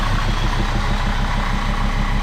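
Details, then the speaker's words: Jeep Grand Cherokee WJ 2.7 CRD diesel with injector problems: loud diesel clatter at idle with uneven, lumpy beat and hissy exhaust, heavy black smoke, revved; sounds like a miss, owner checking for diesel leak; rough idle. "Just black smoke everywhere, but at least it's running. That's all we wanted. Sounds like a bit of a miss, so let's look for a diesel leak."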